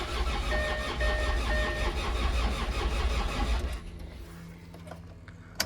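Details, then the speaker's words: Land Rover Discovery 2 TD5 diesel, purge cycle done, last crank attempt: starter turns sluggishly at about four beats a second for several seconds, stops without firing; slow crank, still no start. "So for now, small wins, but it's not starting yet."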